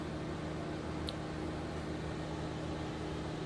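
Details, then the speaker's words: SCX24 crawler with Nano Beast 2.0 brushless motor and brass gears, slow crawl: faint even motor hum with steady gear whir, no clicks or binding; smooth quiet low-speed running. "very good low speed control um not too much noise they will get quieter whenever i do get the nylon gears in stock"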